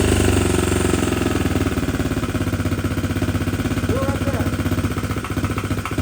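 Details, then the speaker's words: 2021 SSR 125 pit bike, single cylinder, new Lifan 125 cylinder head, idling a few minutes after idle screw adjustment: sharp tapping on every beat, about four per second; first suspected bad crankshaft, excessive valve clearance. "It does sound like it's knocking, doesn't it? It does. Fortunately, as you guys can see, that we got the bike started, but after it was idling for just a few minutes, we heard a knocking noise in the engine."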